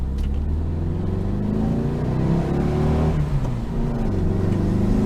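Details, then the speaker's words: 1966 VW Type 3 Fastback, 6-volt system, with an intermittent noisy starter, driving: steady, even engine drone rising slightly with speed, no knocks or rattles; the engine runs well. "Because the car runs freaking awesome, which is why it drives me nuts that it works a week at a time."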